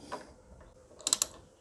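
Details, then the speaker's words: KTM 690 Enduro, new brake lever just fitted: a few crisp, light clicks as the lever is touched; brake light switch clicking normally. "you also need to make sure our brake light switch is in place probably a good idea to double check that your um brake light is working that you've um you know put the little switch in the right spot again but you can normally hear that little switch clicking when you touch the"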